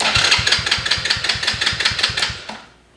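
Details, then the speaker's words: Small kids' ATV with electric start: starter turns the engine over in even beats, about two and a half a second, then dies away, engaging without the button pressed because the start switch is broken; before replacing the switch. "so this little uh switch here is messed up and the way it's supposed to work is there's this little there's this little spring and this spring is one once you depress this little button here the Spring's supposed to close and create contact and then and allow it to start but this thing is messed up"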